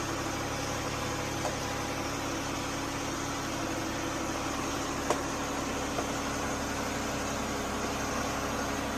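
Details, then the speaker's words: Jeep Cherokee idling steadily and evenly after a jump start from a dead battery that read 11.6 V with tight terminals; charging system now reads about 14 V, so the alternator is good. Normal idle. "All right, your alternator is charging and you're at 14. So, your alternator is good."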